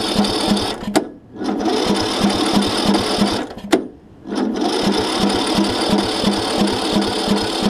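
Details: John Deere LA105 riding mower, sat outside about three years, after new starter solenoid, rig-started with starter fluid: steady rapid cranking about three turns a second with short breaks, never fires; cranks but no start.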